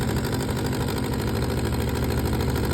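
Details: 2004 Suzuki GSX-R 600 motorcycle running: steady, even idle with a raspy, loud puffing edge to the exhaust note, consistent with a major exhaust leak.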